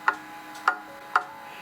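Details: Pendulum clock movement set in beat, heard through a cheap sound amplifier clipped to the clock plate: crisp ticks about half a second apart, evenly spaced, matching loudness over a quiet background; running in beat.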